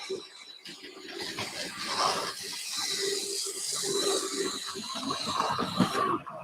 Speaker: uh the mallet is coming into view shortly it's got a completely different so albeit not perfect it is running whereas before it was whining like a banshee